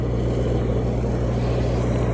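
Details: Cummins 4BT four-cylinder marine diesel generator on a 94' Broward yacht, after replacing fouled injectors that caused smoke, smell and water sheen; now clean. Steady low diesel drone with an even beat, no misses or knocks; normal running.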